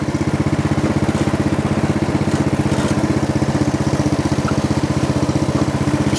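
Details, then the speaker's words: Snapper riding mower, friction-disc drive after repair, engine at idle speed, pedal released, moving: even rapid engine beat with constant drive rumble, no knocks, grinding or weird sounds; disc drive is by design noisier than hydrostatic or gearbox; normal. "grouting great no weird sons okay show off their back up in these transmissions by their design they will have more noise than most"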